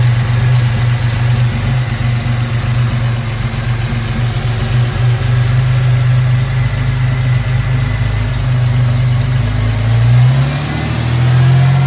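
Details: 2002 Ford Mustang 3.8 V6 automatic, after replacing PCV valve and breather hose: low uneven idle throb wavering and dipping instead of holding steady; rough idle/stalling, owner suspects a vacuum leak, unconfirmed.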